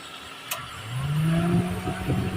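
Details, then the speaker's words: Radiator fan on a Toyota Avanza/Daihatsu Xenia-type engine after overheating repair and cylinder head gasket replacement, switched on via the AC while bleeding trapped air from the coolant; quiet idle then a low hum spins up quickly and holds steady; normal operation. "Oke w ni untuk motor ravnya aman tinggal kita tunggu udara yang terjebak dalam mesin sampai benar-benar bersih"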